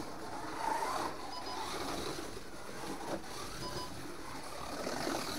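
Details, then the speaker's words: Pioneer Legends series slot car run out of the box with just some oil: untrue, out-of-round tyres make a chirping and scuttling noise as their high spots bounce across the track without gripping. "so untrue tires you can hear the tires aren't round there's a sort of a chirping noise"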